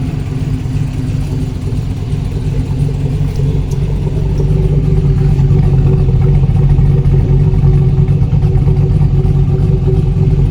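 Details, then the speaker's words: Colorado with V8 swap, back running after oil issue, new PCV setup and updated tune: deep, steady V8 idle with even lope, no ticks, knocks or belt noise; normal idle. "let me just kind of go around with it running and just let you guys hear that it's still sounding pretty good"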